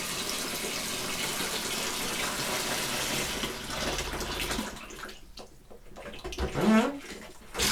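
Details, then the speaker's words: 2001 Bayliner Ciera 2655 liveaboard, after replacing the 24-year-old water pump and repressurizing: sink hot faucet rushes steadily then breaks into spits and gurgles in uneven bursts; suspected trapped air, not confirmed. "Hot just seems to have a problem with the water. Or air, sorry."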